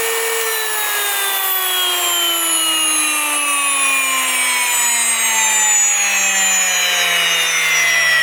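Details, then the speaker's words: New Wondermill electric grain mill grinding grain: loud jet-like whine, pitch slowly sinking; normal operation, a high-pitched squeal signals an empty hopper and time to turn it off. "they say you'll know when the the grain is finished grinding when you hear that high pitched squeal so it obviously the hopper is then empty and you want to turn off the mill"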